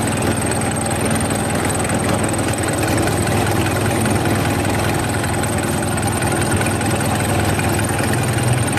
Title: rough idle #engineservice #engineproblem #workinprogress #mechaniclife